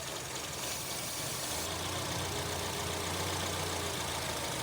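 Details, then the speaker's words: Gen 3 Honda CR-V petrol idling: MAF cleaner sprayed at the throttle body hisses, then the idle note shifts. Vacuum leak at the throttle body-to-intake manifold gasket. "So, that idle shift, that means that the gasket between the throttle body and the intake manifold is bad."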